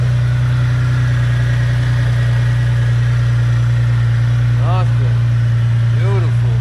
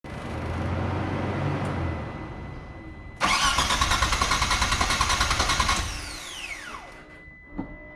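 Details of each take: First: Mitsubishi 3000GT VR-4 after installing AEM fuel pressure regulator and gauge, new fuel pump and fixing boost/vacuum leaks, restarted once fuel pressure restored; engine settles into a steady, even idle with constant low hum, no misses or hunting: normal idle. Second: Mitsubishi 3000GT VR-4 during install of a new AEM fuel pressure regulator, gauge and fuel pump: starter cranks at an even, quick chug for a few seconds then whirs down, never firing; crank no start with no fuel pressure.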